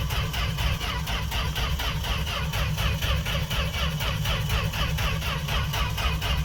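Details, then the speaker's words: Fargo (Canadian Dodge D100) carbureted truck unstarted all winter, cold start without pumping pedal: strong steady cranking about two beats a second, on and on, never fires; long crank no start. "it's not gonna do anything man but I hope I hope you're getting what you wanted no joke no nothing just cranking this poor poor thing"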